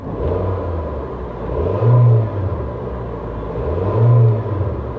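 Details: Small four-cylinder car: two quick, clean revs that rise and fall smoothly from a steady low rumble, with no knocks or rattles. It is a healthy, free-revving engine.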